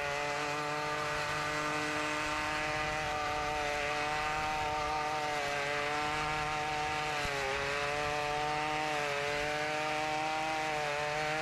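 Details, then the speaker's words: Ryobi RY253SS two-stroke trimmer, dumpster find, after carburetor replacement for a leaking carb, started at half choke, light brush cutting; high buzzing note fairly steady with slight dips under load; runs cleanly. "not too bad for a dumpster weed eater if i do say so myself um as you can tell the carburetor install was a success"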